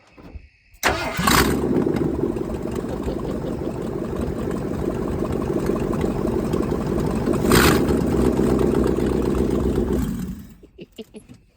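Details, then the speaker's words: 1978 Ford F150 V8 with no exhaust system or manifolds fitted, before headers and Cherry Bomb glasspacks go on. It catches and idles with a loud, raw, fast popping bark straight from the ports. Open exhaust. "See what it sounds like with uh no um no exhaust system at all."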